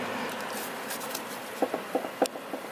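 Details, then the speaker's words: K24/20-swapped Honda Civic jacked up, suspension rocked by hand; half a dozen sharp light clunks in about a second and a half, likely moving while driving: loose upper control arm, owner plans to replace the upper control arms. "As soon as the power goes cluck, cluck, cluck, cluck. When I'm driving, it's probably moving. So, looks like I'm gonna have to get some upper control arms."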